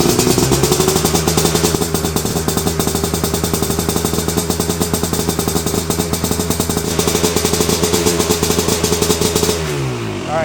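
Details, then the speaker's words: 1988 Kawasaki Tecate two-stroke, started on the first kick after fluid was cleared from the expansion chamber: quick, even popping that holds steady about nine seconds, then winds down. It runs clean; the idle is a touch fast and the set screw may need lowering. "it basically started on the first kick, which is awesome. And it sounds really good."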